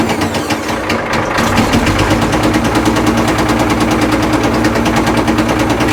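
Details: Old Caterpillar 977L diesel track loader, slated for scrap, started on lots of ether: loud uneven popping and banging about three a second over rough running. Heavy backfiring that sounds ready to fly apart, though oil pressure is good.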